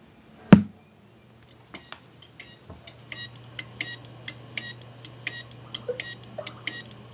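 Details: 2005 Maxtor hard drive in a Dell computer, failed at boot with a secondary master hard drive error: a quiet room, then regular light clicking about three times a second, a dead hard drive.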